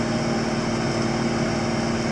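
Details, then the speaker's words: Krone 1290 Big Pack baler on PTO wound up to full tractor speed, about 2250–2290 rpm from 900 rpm: steady even mechanical drone with no knocks or surges, running as it should. "I'm going to wind her up now she's running at full speed 2250"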